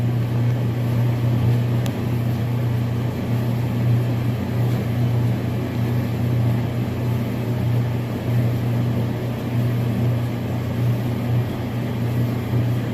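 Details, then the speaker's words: Gas dryer running normally after thermal cut-off fuse replacement for poor drying, with the multimeter reconnected and a temp probe inside the drum: steady low hum, even rumble of the tumbling drum, burner lit, no knocks or squeals. "I've reconnected my multimeter and I put my temp probe inside the dryer, and now we're going to turn it on."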